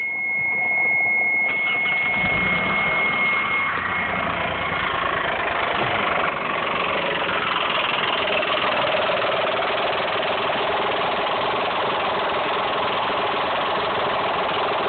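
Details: Mitsubishi 3000GT/Stealth V6 idling with a quick, uneven tick-knock over a steady mid-pitched hum; suspected lifter, spun bearing or tensioner noise, not confirmed.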